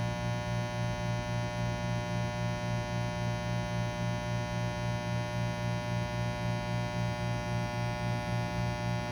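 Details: Breville Bambino Plus espresso machine (open-box refurb) keeps a steady low mains-like hum with faint rhythmic throb after pulling a shot; abnormal low buzzing.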